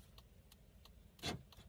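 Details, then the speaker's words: Fiat Palio whose turn signals had failed from a faulty BC body control module; after fitting the module back, the left indicator and hazards tick crisply and evenly about three a second over quiet idle; problem solved. "no bem o lado esquerdo e eu vou ligar o pisca-alerta E aí e sem problema resolvido"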